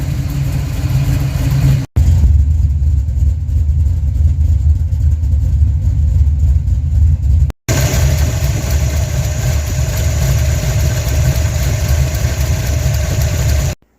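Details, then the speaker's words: Project car started after sitting for weeks, second attempt: deep, steady V8 burble holding a smooth, even idle with no misses or ticking; engine idling normally. "There we go. We're not cooking. Ah, so good to hear her again."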